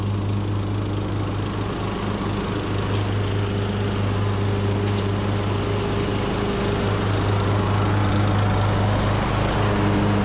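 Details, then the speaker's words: Almost 20-year-old Craftsman LT2000 riding mower with a new carburetor and new deck spindles holds a steady, even engine drone while mulching with the blades engaged, with no misses or surging; it runs well under load. "all right guys well this machine is running fantastic"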